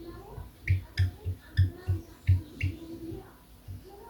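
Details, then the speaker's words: Guitar whammy bar (tremolo arm) moved in its socket: uneven dull knocks with short squeaky chirps from a loose, creaking arm, fixed by wrapping 2.5–3 inches of PTFE tape. "does your whammy bar make this annoying creaking sound"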